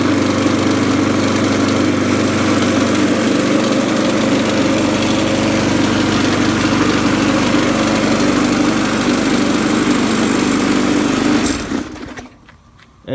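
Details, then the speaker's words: Murray deck mower with a Poulan Pro Briggs & Stratton 5.50 single-cylinder engine at full throttle: steady running with a coarse rattling shake throughout, then it cuts out. Vibration from an out-of-balance 22-inch blade. "can hear it's that that it shakes a lot that's the blade out of balance"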